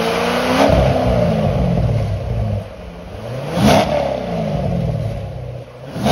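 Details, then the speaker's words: 2008 C6 Corvette after the new NPP exhaust vacuum solenoid is reinstalled: engine catches and settles, then sharp blips swell louder and open up in tone as the exhaust valves open. Normal start and rev after repair. "okay so now that everything's reconnected we're gonna start it up and see if it works like it's supposed to keep an eye on the actuator arms when i rev it up and see what happens"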